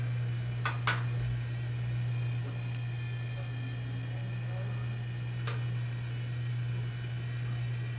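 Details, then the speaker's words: Small tumbler turner motor suddenly running with a loud, constant low hum and a few faint clicks, louder than it should though nothing unusual is being done to it; heard while working on an epoxy glitter marble tumbler. "Oh my gosh, I heard this weird loud noise. I was like, what is that noise? It's my Turner. It's making loud noise like I'm doing something crazy to it, but I'm not."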